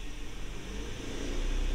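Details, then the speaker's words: Accelerator pedal position sensor/pedal just replaced to cure a dead spot with no power on pressing; after repair the engine note climbs smoothly from idle as the pedal goes down, responding promptly without stumble or hesitation. Normal throttle response. "you can hear the engine going I think that's really going to help things out"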